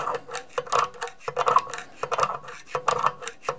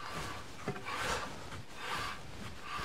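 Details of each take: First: Mercedes W211 drum-type parking brake being renewed and adjusted via the knurled adjuster screw, drum turned by hand: rasping scrape each rotation as shoes begin to drag; parking brake shoe drag during adjustment. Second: Mercedes W211 rear parking brake (drum type) after renewing shoes and adjusting via knurled adjuster screw, wheel turned by hand: light scraping swells and fades about once a second at certain positions; slight shoe contact, acceptable, beds in on first drive.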